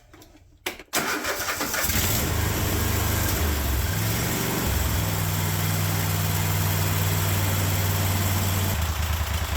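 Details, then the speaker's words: Kohler 24 hp SV725 engine on a Cub Cadet 1050 Hydro, just after the carburetor idle circuit was cleared and the carb reinstalled, started on choke: it settles into a steady, even idle with a low regular beat, slightly higher than desired. Normal idle. "[Applause] almost yeah I got an idle oh [Applause] baby still a little higher than I'd like"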